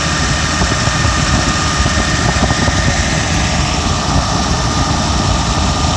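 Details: BMW V12 with air conditioning running, idler tensioner check: smooth, even low hum with a steady idle and no knocks or misses; normal idle, though the engine reportedly sounds nasty when cold.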